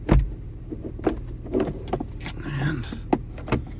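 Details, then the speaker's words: Audi 80 Cabriolet, 130k miles, during convertible-top testing: the power window regulator motor whines between clicks and knocks but the glass doesn't move. The motor works. "well we know the regulator works oh that's a good sign too because this window is not down but we hear the regulator w"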